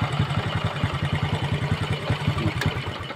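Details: Old Honda Kirana that kept losing ignition despite five stator coil replacements. After reassembly the small single cylinder idles steadily, slightly uneven, without stalling or misfiring; the starter dynamo/magnet part was found holed and damaged; normal idle.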